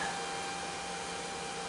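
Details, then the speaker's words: DJ fog machine on test: steady fan whoosh from the fan beside the heating element with faint hum, no pump click or buzz; owner suspects pump not working; fog machine pump not engaging. "I don't hear the pump kick on so I'm kind of thinking maybe this might just be this might not be working at all"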